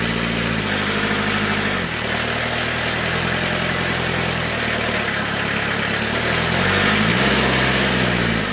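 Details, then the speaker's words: Kubota B3030 diesel tractor, cold morning around 48°F, preheated about 30 seconds, started at half throttle after bleeding fuel at the pump's single bleed point: steady even clatter with small throttle changes, no stumbling or misfire; runs clean. "I normally don't start a tractor at half throttle or Beyond like this guy here fired right up but I I did that simply because I was having that fuel issue"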